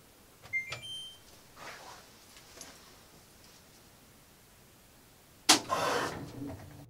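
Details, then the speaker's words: Washing machine about 10 years old whose solenoid inlet valves slam shut: an appliance beep, a pause, then one sharp loud bang in the house pipes (water hammer); earlier-installed piston-and-spring hammer arrestors reduced it but did not cure it. "Our washing machine in our house water hammers so bad it echoes through the entire house."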